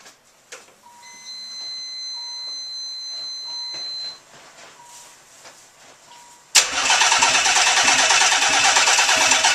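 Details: Nissan 300ZX twin turbo, first startup after engine pull with nearly all gaskets, seals and vacuum lines replaced: chime beeps, cranks, catches quickly and holds steady fast idle with no knocks or misses.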